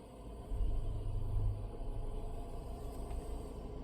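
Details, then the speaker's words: Volvo (XC90/XC60/XC40/S60 type) with auto start/stop, parked: quiet cabin hum, then a short low rumble swells as the engine restarts when start/stop is toggled, settling into a smooth, even idle. Normal restart. "Now it's off. You just heard the engine fire back up. I'm going to do it once more so you can hear that."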